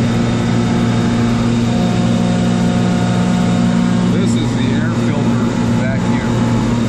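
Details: Kaeser DS200 150 HP air-cooled rotary screw compressor, 460 V three-phase, built 1990, 47,597 load and 56,834 run hours, with new oil and filter. It gives a steady, even hum and low drone with a faint high whistle and no knocks; works as it should.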